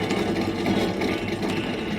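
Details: 2005 V6 Ford Mustang, front wheel off during front suspension rebuild: rough, gritty rumble with a rattly edge as the hub turns from a worn front wheel bearing, replaced with new hub.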